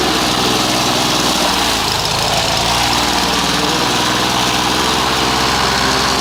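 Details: Old Victa Impulse Start Utility two-stroke mower, as found, running and mowing: a steady high-pitched buzz at even speed, with no surging, misfires or knocks. It runs cleanly.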